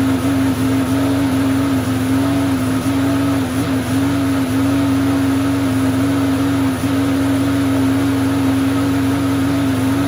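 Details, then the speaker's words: Curbside-rescued MTD walk-behind mower with no blade and no air filter, just started; small engine holds a steady, even drone of constant pitch with no misses or surging; smoke is suspected to be oil burning off after tipping; normal running. "but uh we'll keep an eye on that before I put it up for sale but I think it'll run just fine"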